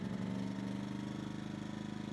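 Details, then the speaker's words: Yamaha EF2000iS inverter generator surging at idle, worse in Power Save mode; about three-quarter choke mostly steadies it but idle remains slightly uneven, lean surge likely from a clogged pilot jet in the carburetor. "so normally that would be able to hold an idle in power same mode but right now it can't and so I can compensate for it by pulling out the choke a little bit so there we are de bout three-quarter choke"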